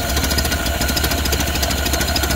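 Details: 1931 Ford Model A, flathead four 200.5 cu in, about 4.5:1 compression, off the road 65+ years, carb and internal filter cleaned, slight choke: slow loping idle with even chuffs, no misses or rattles; normal low idle.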